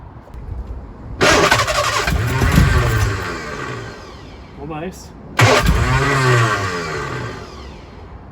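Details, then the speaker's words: Lotus Elan first start after three years off the road, distributor just repositioned toward post number one: two short starts, each catching then sagging unevenly and fading; rough running, ignition timing still to be checked with strobe. "nice well moving the distribut certainly seem to work running here it's running pretty rough"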